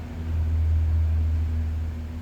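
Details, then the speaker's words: Toro self-propelled lawn mower with customer complaint of hard starting: low engine drone swells briefly and fades within about two seconds, never settling into a steady run; cause unknown. "Um, just had to show this customer complaint of hard starting."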